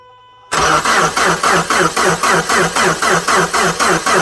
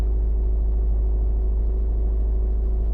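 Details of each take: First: 2010 Subaru Forester 2.5 with a replacement JDM engine, cold at −25 °C after sitting overnight: even, steady cranking for about five seconds that never catches. There was no spark from the coil, and a new starter fixed it. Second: 2010 Subaru Forester 2.5 with a JDM replacement engine, which normally won't start below −12°C: on a warmer day it started perfectly and idles with a steady, even boxer rumble and no knocks or misses. The fault did not reproduce that day.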